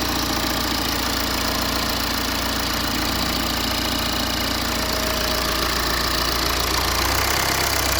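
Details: BMW E91 320d diesel, first start after high-pressure pump failure, with the pump and injectors replaced, fuel system flushed and de-aired, and adaptation values reset; steady idle with light injector clatter over a smooth rumble. Normal diesel idle.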